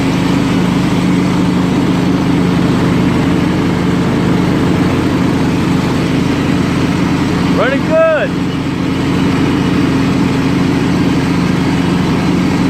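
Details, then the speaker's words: Scotts lawn tractor built by John Deere, 16 hp Kohler Command engine, 42-inch deck, hydrostatic drive, after repairs, driven with blades engaged; steady, even drone holding speed throughout, no surging or bogging. Normal running under load. "I love it what a good drag the runs good"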